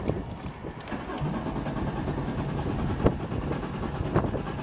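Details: Chrysler caravan that had been under water, plugs dried and reinstalled: starter spins the engine steadily with no firing at all, cranks but won't start; fuel pump seems to run, spark not yet checked.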